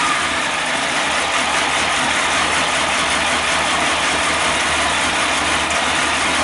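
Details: Kawasaki ZX12R just started after reconnecting the battery, before throttle-body synchronisation, idle raised by hand: four-cylinder ticking over at a steady cold fast idle, even smooth exhaust, no odd noises.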